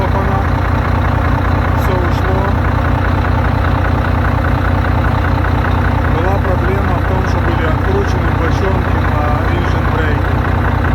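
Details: Volvo D13 truck diesel, reassembled after a knock that appeared following valve adjustment: steady, even idle with a smooth low rumble and no knocking or tapping. This is a normal, healthy idle.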